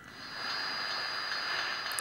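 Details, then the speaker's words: 2P3 superheterodyne AM medium-wave radio: when tuned to the IF frequency the IF amplifier oscillates, steady hiss with fixed high whistles drowning out the station audio. "wenn ich auf die ZF Frequenz einstelle, dann fängt die ZF an zu schwingen. Man hört ihn nicht mehr."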